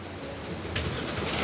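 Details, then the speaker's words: 2022 Hyundai Accent 1.4 AT, cold engine, remote-started by locking then holding the key-fob button. A quiet hum, then it catches in under a second and settles into a steady, even run. Normal engine start. "Các bạn thấy không ạ? Nó nổ máy rồi đó."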